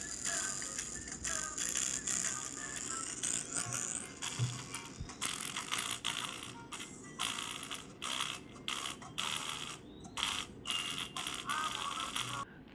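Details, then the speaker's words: Lenovo ThinkPad T470s playing audio through blown speakers: thin, tinny, no bass, rattly buzz on louder passages, before replacing the speakers. "So let me just play a video from my channel, and you can actually hear how bad the speakers are."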